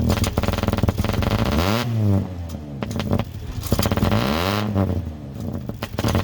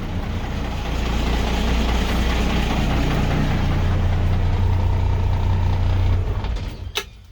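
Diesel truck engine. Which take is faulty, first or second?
first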